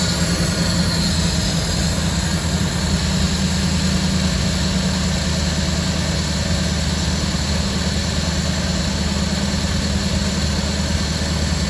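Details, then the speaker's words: 1974 Ford F100 V8 with Holley Sniper EFI, after freeing a crimped fuel return hose that caused back pressure and stalling: steady even low rumble, no misses or hunting; good idle, checking for leaks. "What I'm looking for is good idle. And I'm making sure I don't have any leaks here."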